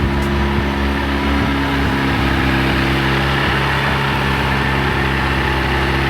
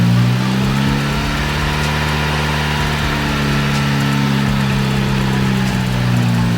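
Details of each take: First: VW Golf Mk1 AWD (4motion) with 1.8T engine, after engine and gearbox refit with new clutch, flywheel and pressure plate: steady, even drone at a noticeably raised idle with no hunting, high because there is no idle control valve. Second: VW Golf Mk1 AWD (4motion) 1.8T turbo, first start after engine and gearbox refit with new clutch, flywheel and pressure plate, clutch not engaged: starts first try and holds a steady, even idle with one small pitch step, no knocks or stumbles.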